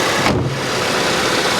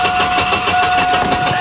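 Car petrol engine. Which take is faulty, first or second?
second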